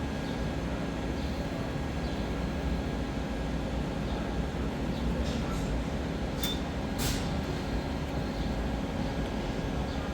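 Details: 2002–2006 Toyota Camry AC service (R134a, 1.32 lb spec): the recovery machine, hooked to the high and low ports, recovers the existing refrigerant with a steady, even compressor drone and no knocks; normal running.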